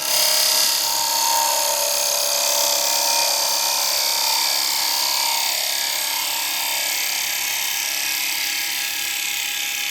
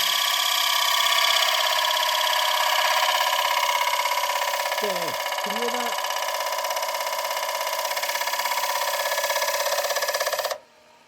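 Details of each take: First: Woodturning a re-mounted bowl on a lathe with a carbide tool; steady, even high hiss with no hard-soft chatter, a clean, smooth finishing cut without wavy lines. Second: Woodturning lathe at about 989 rpm cutting a thin-walled bowl: a steady, piercing chatter pulses about three times a second as the thin wall bounces against the tool, leaving torn grain and visible waves despite the cut looking clean.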